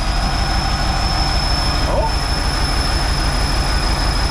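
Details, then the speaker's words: 1969 Impala running on its own after 20 years, no coolant yet, timing unchecked: significant steady high whistle over even idle rumble, seemingly near the carburetor; carb-cleaner spray found no source. "We sprayed some car clean around it to try and figure out where it's coming from, but we don't hear or see a difference anywhere. So we're kind of confused. That's a significant whistle."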